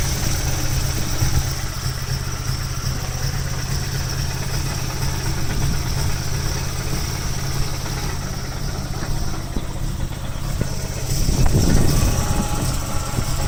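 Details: Nissan 240SX KA24E at idle: rough, uneven idle with a low stumbling pulse skipping irregularly; misfire persists after new distributor and O2 sensor and cleaned injectors, ISC and MAF; rattle is exhaust hitting driveshaft, not rod knock.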